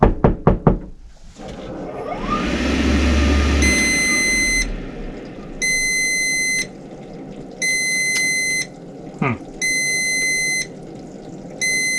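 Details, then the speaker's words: Rinnai V65iP non-condensing propane tankless water heater, restarted after motor removed and reassembled: repeating shrill beeps about one second on, one off over quiet fan; error code 34, combustion air temperature sensor fault. "the beeping is not good okay I looked up what code 34 is and it is a there we go combustion air temperature sensor fault"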